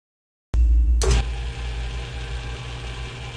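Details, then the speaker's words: 1950s Atlas lathe under restoration, after a new directional belt reduced shaking: heavy low drumming throb from the belt drive that stops when belt tension is relieved, pointing to an off-center (concentricity) countershaft pulley rather than mass imbalance. "you'll also notice when I relieve the tension on the Belt you can hear the vibration stop this points to it being a concentricity issue with that pulley rather than a mass imbalance which would happen regardless of tension since that would transfer through the bracket to the bed"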